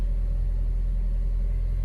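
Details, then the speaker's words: Ford Fiesta with Rocam engine, first start of the day, AC off: a low, smooth, even idle with no whine, rattle or knock. Normal idle; a noise appears only when the AC is switched on. "daqui mesmo vocês conseguem escutar o barulho normal do carro Esse é o barulho de funcionamento normal dos fiestas motores até rocan"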